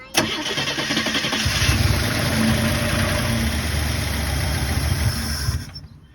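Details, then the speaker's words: 1977 Chevrolet Impala, just purchased, with a new fuel filter and gas poured into the carb. It cranks, catches and runs rough for about four seconds, then fades and dies; no fuel is seen in the carb or filter, so it is starved of fuel (later found out of gas). "well it ran for a little bit I don't see any fuel in the carburetor or in the fuel filter though so I'm gonna dump a little bit more gas in it and see if see if anything happens with that"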